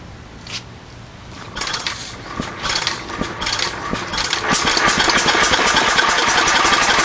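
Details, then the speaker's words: First run of an 8 hp vertical Bessemer engine on propane, with buzz-coil ignition and trickle-hose total-loss cooling: it catches and settles into fast firing near four per second, broken by irregular sharp pops, intermittent backfiring just after starting. "what do you think of that inter oh there's running there getting some strange backfires like that interesting"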